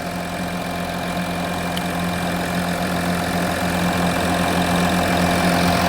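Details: Audi Q7 petrol engine idling, charging system reading about 14 volts; smooth, steady idle with a low even hum and a light belt-drive whine, nothing abnormal, runs healthy.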